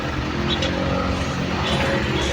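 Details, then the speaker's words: Isuzu Traviz after replacing the 2-year-old battery with a Motolite Gold to fix hard starting: starts in one click, engine settles into a steady even low drone with no stumbling or misfire; runs normally. "Ibang iba na ang andar nito ngayon."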